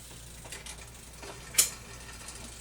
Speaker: it should happen quickly and cleanly and um for each click the gear okay no hesitation